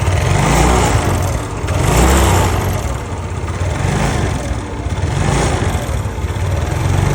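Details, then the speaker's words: Yamaha Nouvo Z scooter engine, stock carburetor, before restoration and bore-up. It runs with a loose, uneven rattling tick over a low drone, swelling and fading with the revs, from a noisy, worn top end. "yang di mana motornya ini mesinnya suaranya ngericik dan mau dibard up juga"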